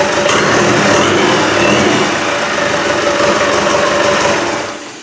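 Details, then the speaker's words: Land Rover 200Tdi diesel on first test start, alternator belt not yet fitted, a loose fuel pipe found: quick, even diesel clatter at a steady idle with no misses, winding down smoothly at shutdown; sounds healthy. "anyway that's good I'm happy with that I would like to have had it running for a good long while but now we know if you just put fuel onto that it's going to be a runner"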